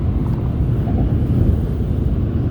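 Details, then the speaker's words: 2020 RAM pickup at about 80 mph with the HVAC off: steady low road and tyre rumble and no whistle or hiss from the front door; with the HVAC back on at 82 mph the wind noise returns at that one door. "no wind noise and let me turn the hvac back on"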